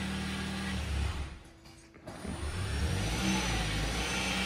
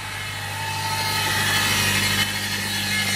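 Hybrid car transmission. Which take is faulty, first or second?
second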